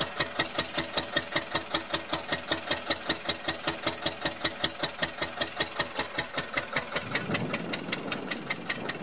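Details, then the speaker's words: Rebuilt 1999 Metro Listeroid 6/1 single-cylinder diesel genset, heard outdoors at the exhaust pipe outlet: steady, even chuffs about five per second with no misses or knocks; healthy. "Doesn't sound too bad from out here, huh?"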